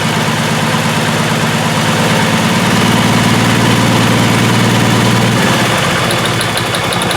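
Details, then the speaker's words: 2002 VW Jetta VR6 with P0262/P0206 injector circuit faults, plugs and wires already replaced: uneven lumpy idle missing beats; cylinder drop test with test light shows spark but no RPM drop on cylinders 1 and 6 — two dead cylinders. "definitely do have spark no RPM drop on that one either so that is cylinder one right there and Cylinder 6 no RPM jop"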